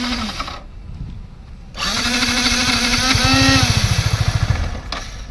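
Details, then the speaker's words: Yamaha MT-15 motorcycle during full service: starter (self) motor now spins the engine in quick pulses for a couple of seconds, but engine never fires; cranks but won't start, cause not yet confirmed. "நல்ல வேலை இப்ப வந்து self motor ஓடுது. ஆனா engine start ஆகல."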